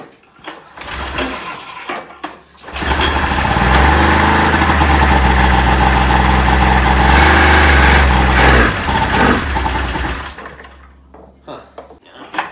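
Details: Neglected 1996 Ski-Doo Formula 3 600 triple two-stroke snowmobile, after carb cleaning, choke adjustment and carb sync, started on choke after a couple of pulls; crisp even buzz holds steady before shutdown. Compression about 85–95. Runs healthy.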